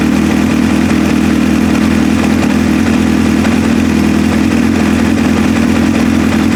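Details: 2002 Kawasaki ZX7R, previously hard starting and wouldn't idle without choke due to clogged pilot jets, after carb service: steady even four-cylinder idle, smooth drone, no hunting or stumbles; normal idle.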